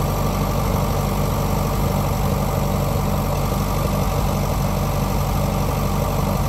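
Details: Grandpa's old four-cylinder tractor idling just after its first start, once the fuel was turned back on and pulled a bit: a low, throaty beat, slightly loose but continuous with no dying out. Normal idle.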